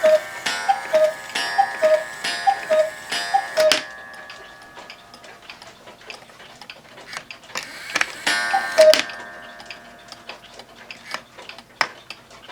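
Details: One-day cuckoo clock (owl and grapes) with rack and snail striking, quieter than another clock. Clear two-note cuckoo calls at a steady pace, each with a soft mechanism whirr: chiming properly.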